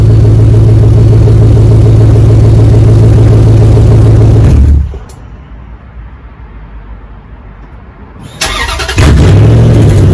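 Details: 2004 Dodge Ram 1500 Hemi 5.7 V8 after muffler and resonator delete, straight pipe fitted. Deep, loud, even idle burble, then shut off and restarted; strong open exhaust tone, engine smooth; normal idle with straight-pipe exhaust.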